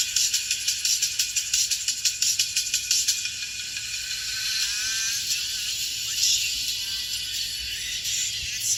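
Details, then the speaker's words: Marshall Stanmore 2 speaker under repair, powers on and connects Bluetooth; music plays thin and tinny, treble from left and right but no midrange, the midrange driver not sounding. "ชื่อเสียงเสียงแหลมนะครับซ้ายขวาดังนะครับแต่เสียงกลาง"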